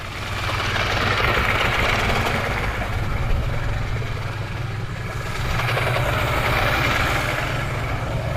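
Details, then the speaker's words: Mercury Classic 50hp two-stroke outboard after stator, trigger and new power pack install, finally running after starting fluid: busy burble that swells and eases, steady firing without misses or knocks. Normal running, owner says it's pretty good. "seems like it's gonna run though all right almost oh yeah that thing's pretty good"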